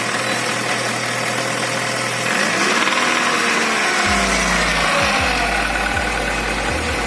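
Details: Chevrolet Rezzo with A16DMS engine, started about 10 seconds earlier: steady idle, then quick rev blips bring a rough knock from 1500 rpm upward; cause unknown, engine to be removed and disassembled.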